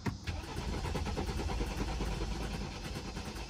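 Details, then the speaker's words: Clean-title 2013 BMW 528xi, about 150,000 miles, cranked on a jump pack: uneven, lumpy starter churn with no catch, engine never fires; low compression suspected, not confirmed. "but that was sounding like that sound was really bad looks like like there's no compression or something"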